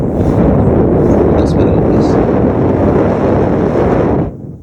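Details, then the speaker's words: Air hissing from a puncture hole in the center of an e-bike inner tube, heard close to the camera while the tube, pulled out through the valve without removing the wheel, is pumped up to locate the leak; steady rushing roar. "I'll just give you a closer look as I pump it up some more you can actually hear it hissing under the camera see the hold in the center"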